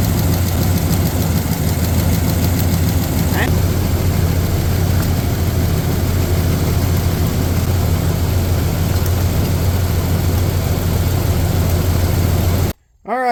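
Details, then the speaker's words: 1994 Ford F-150 idling rough while pulling spark plug wires one by one; engine note did not change on cylinder number two, a dead cylinder traced to a bad fuel injector; plugs already replaced: misfire from faulty fuel injector. "every time you would take a spark plug wire out of the spark plug uh the noise would change and the noise didn't change on that one"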